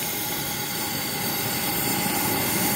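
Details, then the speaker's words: Old Coleman 500 single-burner stove, generator warmed up and valve in burning position: steady, even hissing roar with no sputter or surging, slight yellow flame but burning hot; normal burner roar, running pretty good. "we got a little yeah little a little bit of a yellow flame and it seems like it's burning pretty hot though it sounds like it's running pretty good"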